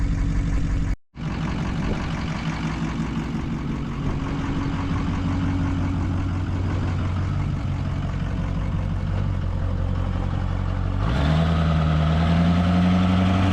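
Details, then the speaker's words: 2005 Ford F-350 6.0 diesel with new custom big exhaust, coolant and oil at operating temperature: deep, steady diesel idle with even beat, no knock or miss, revs stepping up slightly near end and staying smooth; normal warm idle. "There you have it. She's up and running. We got some coolant temp up and uh oil up to temp."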